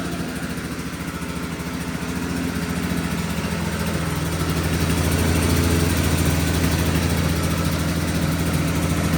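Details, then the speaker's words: 1983 John Deere Liquifire snowmobile two-stroke with power jet carburetors, 40:1 premix plus oil injection, run without airbox: revs with blubbery uneven beat, won't clean up with throttle, dogging; carbs struggle without airbox. "You can hear it's really dogging. It's cuz I'm running it without the airbox. These power jacket carburetors really rely on that airbox."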